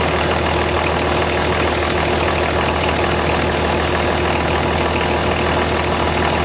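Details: BMW/VM D190 marine diesel at first start after a rebuild following a broken valve, with a VM 2.4 liner, piston and head, steady drone with a slightly lumpy beat underneath; air in fuel from leaking injection pump front shaft seal.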